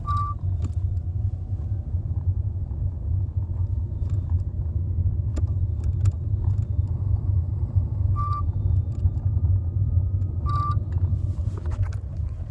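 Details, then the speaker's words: 2015 Kia Optima Hybrid, near 20,000 miles, brakes replaced once around 5,000 miles: over road rumble, short high-pitched chirps/beeps when braking while driving; brake squeak has returned. "All right, let's see if we can get this thing to squeak, since no one believes me."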